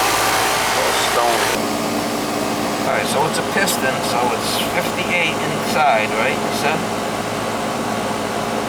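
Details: Central AC condenser during annual service; 65 outside, 16 degree superheat, checked fine: steady whooshing fan and compressor hum with a few clicks and rattles, even throughout; running normally.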